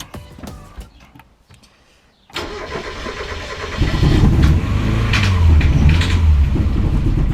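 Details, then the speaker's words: Engine after track problems fires briefly after a pause, then runs rough with loose metallic clatter, 'like a bag of spanners', and cuts out. The compression test showed low readings; intake valves are stuck. "and now it doesn't fire at all or it fired up very briefly sound like a bag of spanners and then cut out so I don't know if that's the engine dead"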